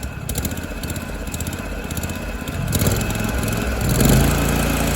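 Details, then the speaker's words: Scag Turf Tiger 61-inch zero-turn, estimated around 2004, water-cooled and fuel-injected; idles smooth and is smooth at full throttle, but at about quarter throttle the engine note swells and sags, a hunting surge; governor to be checked, cause unknown. "and up top it's smooth it's just just like quarter throttle it kind of surges you see the governor in there so I'm going have to look into that"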